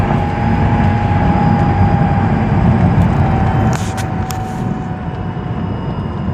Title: 2006 Mazdaspeed 6 whining noise